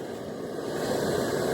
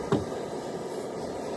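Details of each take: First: Camp stove on a small all-season camp fuel canister, turned on and lit: a hiss builds into a steady, even roar, the burner burning cleanly and normally. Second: Cold isobutane canister on a camp stove, full can, valve at maximum: a soft, thin, steady hiss as the gas vaporises poorly, giving a weak flame, far weaker than the MSR or all-season camp fuel.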